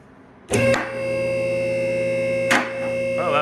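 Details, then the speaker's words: Tuxedo TP9KAC two-post lift after seal and fluid replacement and greased latch: clicks over steady pump hum as lift rises; both arm latches catch, one right after the other. "Seems like I got them pretty level. Let them sit down, they sit at the same time."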